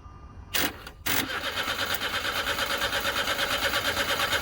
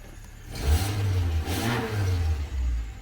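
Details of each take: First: Starter crossed directly with key in ignition and no fuel pump heard: after a couple of clicks the engine spins evenly for five seconds without firing; since it would have started if wiring were at fault, diagnosed as an immobilizer issue. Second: Car with a no-crank, no-start fault starts after the bent ignition key is straightened and made solid; engine catches and blips up twice in clean revs, then settles to a smooth even idle, no misfire or warning lights.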